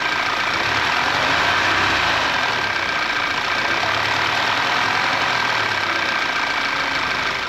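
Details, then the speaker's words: Audi A4 revved with cam magnet connector disconnected, no difference, chain really stretched: loose, tinny rattle rides over the engine and doesn't settle, timing chain slap; chain replacement needed. "so I guess it looks like we're gonna have to do a timing chain replacement on this car."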